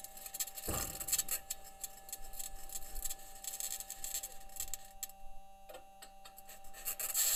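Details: Perseverance rover driving in Jezero Crater, Mars, self-recorded: steady high squeal under scraping and rasping bursts as wheels roll over rock; squeaking and scraping while driving, cause unknown, possible problem questioned.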